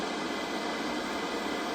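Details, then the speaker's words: Cold, just-arrived 1983 Ferguson 39050 black-and-white portable TV, bought from eBay as not working: even steady untuned static hiss with no crackle or hum, so the tuner works; vertical deflection is lost. "Sounds like the tuner is working."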